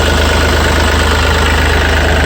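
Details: Yanmar 3TNV88 three-cylinder diesel in a Yanmar C30R, just restarted after replacing the primary fuel filter water separator element and purging air, no leaks found: steady, even low chug at idle, no knocks, misses or hunting; normal healthy idle.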